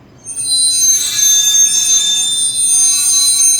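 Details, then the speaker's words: Dump trailer axle wheel end squealing loudly and steadily as it turns, hub found heating up; owner suspects a bearing problem, unconfirmed. "tinha um barulho aí que ficava me perturbando muito essa última viagem"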